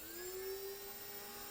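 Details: Quadcopter on the desk during Betaflight setup with propellers off: after arming with the stick, the motors spin up with a smooth, steady high whine and settle to an even speed, with no roughness or scraping; normal idle.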